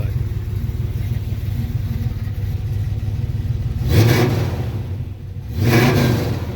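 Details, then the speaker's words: 1985 Chevy K10 4x4 V8 with swapped aluminum Firebird heads, roller rockers and matched Edelbrock pushrods: smooth idle at 750 rpm, then two clean throttle blips rising and falling evenly; no knocking, sounds healthy. "So, as of right now, that's what it sounds like. RPM is at 750."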